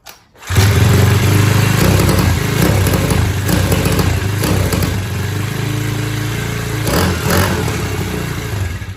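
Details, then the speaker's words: SYXMoto VK 58cc four-stroke pull-start kids' mini dirt bike, new out of the box, choke set backwards on first start: uneven surging stumble, breaking up and recovering like a rev limiter, so rich it can't breathe and chokes itself out. "guys see the difference there it's almost like a rev limiter on a big dirt bike it's it's so rich that it can't breathe and it chokes itself out"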